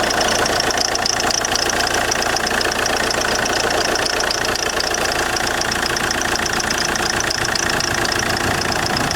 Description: JTD 105 weird creaking noise when engine is cold. Part 1/2.